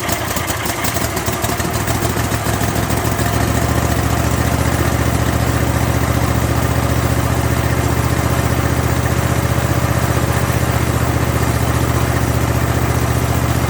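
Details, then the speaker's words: Kohler 7000 series engine on a zero-turn mower just after a carburetor rebuild to cure surging. Settles within seconds into a steady, even idle with no hunting; the surging is gone. "well I think I fixed the problem the surging's gone and uh everything seems to be working as it should"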